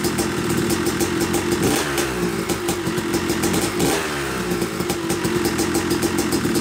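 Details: Yamaha YZ250 two-stroke (270cc/250cc) motocross bike, first start after a full engine rebuild (bottom end, transmission, bearings, clutch, power valve), took a few kicks: crisp crackle blipping with throttle, clean and responsive, no knocking or rattle; smoke from assembly oils normal; runs normally.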